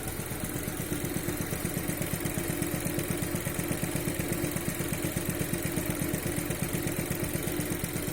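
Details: Skoda Octavia 1.4 TSI after timing belt replacement, warm idle, noise appeared after a highway drive at 120–140 km/h: steady fast light tapping in time with the engine.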